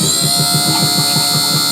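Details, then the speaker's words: Replacement double-acting hydraulic pump for a 1998 Fleetwood Bounder motorhome Hydra-Slide slide-out, tested with no load, cylinder not connected to the slide frame, arm extending; steady high electric whine with fast even pulse, no strain or grinding, pump works normally. "I feel really gratified at this point knowing that the pump does work"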